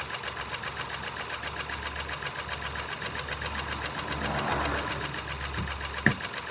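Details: 2019 Ford Focus IV 1.0 EcoBoost petrol, B7DA, 998 cc, 125 PS, 91,787 km: lumpy, uneven idle with a stumbling, lopsided beat as one cylinder drops out; misfire from no compression in cylinder 1.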